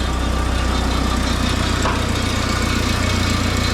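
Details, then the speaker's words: Mini forklift engine after fixing the propane blocking the intake and the throttle linkage, idling without the alternator working yet: steady, even low idle with a smooth beat and a slight rattle, probably the exhaust; normal idle. "Sounds nice. Got a little rattle somewhere. That's probably that exhaust."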